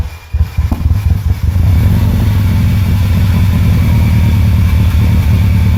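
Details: Subaru Impreza WRX flat-four, freshly rebuilt, test-fired briefly with no coolant for a few seconds: catches after a brief crank and settles into a steady, even low burble with no knocks or rattles; normal first start.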